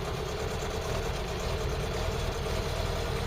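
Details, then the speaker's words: Ford Cortina Mk3, cold, at idle with fuel reading low: a lumpy, uneven idle missing on one cylinder after sputtering; plugs suspected, and a new distributor is on the way. "so cold see I can hear that now that's just missing on one"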